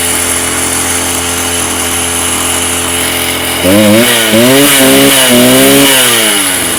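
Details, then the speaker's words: Stihl TS350 Super cut-off saw, restarted after rebuild with new cylinder, piston, crank bearings and seals: revs in uneven surges that rise and sag instead of climbing cleanly; boggy running, carb needs tuning, cause suspected. "excellent we have a working saw um what i'm gonna do now it's just a bit boggy in places i'm gonna adjust a few things"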